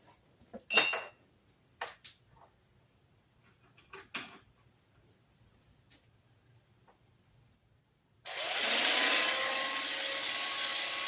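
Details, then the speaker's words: Early 1950s Sunbeam model A-1-A electric hedge trimmer, about 70 years old, after rebuild with gears serviced and new power cord: handling clicks then steady bright even buzz, no rattles; sounds fantastic, normal running. "sounds absolutely fantastic. And the new cord on it works too."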